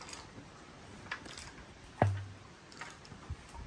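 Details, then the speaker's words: VW Mk4 VR6 engine during teardown, crank turned slowly by hand before removing the oil pan. A single sharp knock with a dull thud, probably from a rear cylinder. Rod knock (spun rod bearing). "let's turn this [ __ ] over real quick oh you can hear it there you go which one he's knocking who's knocking"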